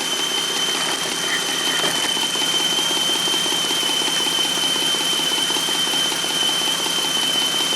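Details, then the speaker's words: Running car at idle heard through a telephone pickup coil held on the ignition coil: fast, even ticking buzz over hiss with no skips; coil firing normally. "so there's the uh [Music] coil that's what coil sounds like at you guys"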